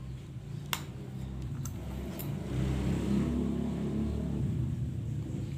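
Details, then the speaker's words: LG jumbo two-door inverter refrigerator PCB on the bench, with its three sensors replaced by 1K resistors, door switch closed and the same ordinary compressor connected: low, even hum with a few early clicks, swelling slightly into a smooth, normal run. "Di sini saya menggunakan kompresor, masih kompresor biasa yang sama . Mari kita uji segera. Kita bisa melihat bersama bahwa ini sudah normal sekarang."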